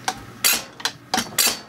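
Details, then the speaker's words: Rebuilt Zexel (Bosch) mechanical injector from a Kobelco SK160 backhoe dormant 17 years, on a pop tester: crisp, sharp chattering bursts with fine atomization; opening pressure about 215, within spec, so the injector is good. "I don't know if the audio is picking it up but now you can hear that injector chattering that's one of the things we're looking for"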